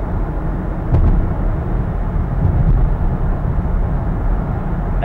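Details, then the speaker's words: 2014 Jeep Grand Cherokee at highway speed after windshield cowl seal repair with silicone auto weather stripping: steady low road and wind rumble, no buzzing or rattling from the cowl; fix worked. "speed it would have been happening already and so there you have it guys no rattling noise for a six dollar fix"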